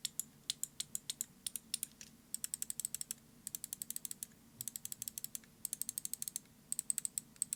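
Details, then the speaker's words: Finalmouse Starlight Pro TenZ medium: bursts of rapid left clicks with a heavy feel and an occasional weird creak on some presses; no creak when spamming. Creaking left click. "you should be able to hear that there is some weird creaking and the click is also quite heavy"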